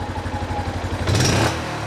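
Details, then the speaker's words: 2013 Yamaha Jupiter MX before tuning, throttle pulled wide open: lumpy pulsing then a brief surge that falls away instead of climbing cleanly, a noticeable pause; hesitation when revving. "Ada jeda ya sahabat milenial, dengarkan lagi ya. Ada jeda. Perhatikan."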